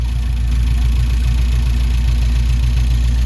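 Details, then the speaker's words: Saab 900 V6 after sitting in a paddock, just started: deep, steady idle with an even low pulse, no misses or knocks; idling normally on its own. "It wants to run. Hey! It's idling. It is idling. What are the chances of that? Hey? It's actually idling all right."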